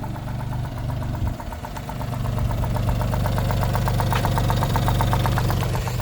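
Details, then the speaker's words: Suzuki Alto Works at idle: a steady light tapping about four per second, unchanged even after an ATF treatment and an oil change to 5W30. Hydraulic lifters are suspected but not confirmed, and new lifters are being ordered. "And then I also gave an oil change with 5W30 oil, and as you can hear, it hasn't made any difference. Still knocking away."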